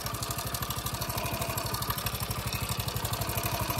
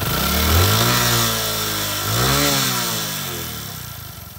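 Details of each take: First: Prider 100 (CD100-type) motorcycle engine idling: light, fast metallic timing chain (T-chain) rattle over the steady thump, before timing chain replacement. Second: Prider 100 (CD100) motorcycle after timing chain replacement and bleeding air at the tensioner bolt: small revs rising and falling smoothly, then an even idle with no chain slap or rattle.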